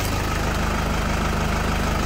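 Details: 2008 Toyota Fortuner diesel, after replacing the pinched O-ring that caused the crank-no-start (a shop had blamed the pressure pump). Steady, even idle with a regular low beat and no misses, knocks or stumbles; runs smoothly.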